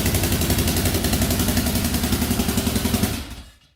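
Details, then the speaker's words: 2004 Yamaha Raptor 660 quad, rough and had been sitting, restarts instantly: quick even single-cylinder putter at steady beat, no misses or knocks, then shut off; sounds pretty good. "We got this thing running today, and it actually sounds pretty good for 1,100 bucks."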